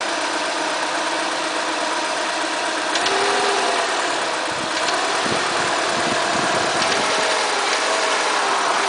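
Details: Renault Megane II 1.6 petrol, noise when accelerating: engine runs with harsh hissing rasp and faint irregular ticking over it; abnormal engine noise, source not pinned down.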